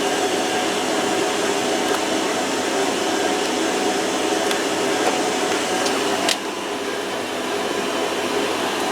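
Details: Washer-dryer on its drying test, already warm and heating: a steady, even fan whir with a soft airy hiss and no knocks or grinding, so the drying run is normal.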